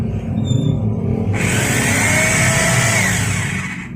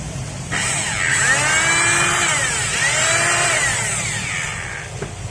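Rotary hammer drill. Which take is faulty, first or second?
second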